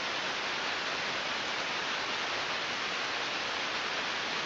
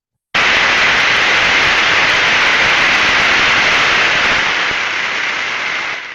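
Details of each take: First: Ultrasound recording of a healthy bearing with an Ultraprobe 15000: smooth, even rushing hiss with a uniform sound pattern, no clicks, crackles or rhythmic bursts; normal bearing. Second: Ultrasound probe recording of a bearing during greasing: loud uniform rushing hiss of a dry but undamaged bearing, dropping in steps as grease takes effect until stable.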